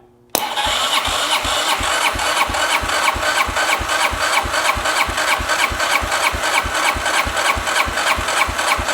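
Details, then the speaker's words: 2009 Arctic Cat DVX 300 ATV, long stored, with some oil in the cylinder: even starter chugging about three beats a second during compression test, reading 165 psi. "We at 160 lbs. Honestly, that's pretty good for what this is. I wasn't expecting to get that high."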